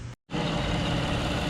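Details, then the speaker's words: Toyota Sienna, started right after a starter replacement for a no-start (owner says it felt weak, alternator to be tested). It catches after a brief gap and settles into a steady, even idle with no misses or knocks. A normal idle. "okay there she is running started up just with no problems"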